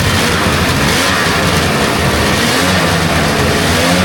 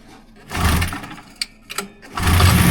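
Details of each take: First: Rebuilt 1999 Polaris XCR800 two-stroke, carbs rebuilt and synced, first run briefly without coolant, lots of compression: loud continuous steady two-stroke drone, no knocking, rattles or misfires; no funny noises, sounds healthy. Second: Rebuilt 1999 Polaris XCR800 two-stroke snowmobile first fire-up, primed by spray bottle, carbs synched, TPS set; short rough burst, stumbles and dies, fires briefly again, running only on primer, fuel-starved.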